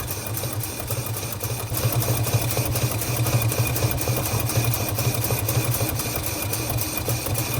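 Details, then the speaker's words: Long-abandoned 1948 Studebaker Champion flathead six, warming up on fresh fuel: lumpy idle with irregular puff about four times a second; at least one cylinder misfiring, possibly an intake valve puffing back through the carburetor. "Yeah, it's definitely got at least one dead one. At least. It might be an intake valve, actually. You can hear it puffing out of the carburetor."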